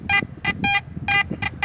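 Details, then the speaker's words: Metal detector (AT Max with sniper coil, sensitivity high) gives six short high beeps in quick bursts over faint crackling chatter, each marking a shallow target about an inch deep reading 73–74; normal target signal. "so far it's doing pretty good I didn't think it would really match up but you can hear the sense you can hear the chatter but when you do go over a target"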